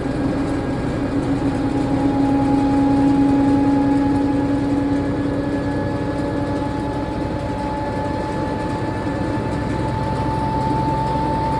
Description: This is what a 160lb Unimac washer sounds like going up to 710rpm or 300g with bearings that r less than a year old and destroyed due to under loading .